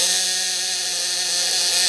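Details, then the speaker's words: Inverter-type shock device on a 24 V battery under a 500 W lamp test load: thin, high electronic whine sagging in pitch as the battery voltage drops; it will soon cut out. "Nah, ini aki udah mulai drop nih. Lihat, terdengar dari suaranya."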